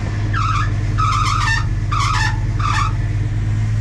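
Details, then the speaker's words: 1980 Dodge W200 Sno-Commander with swapped Magnum 5.9L, idling in snow with plow raised while turning the wheel with large tires: four sharp half-second squeals; slipping power steering belt. "One other problem I have is the power steering squeals on it real bad"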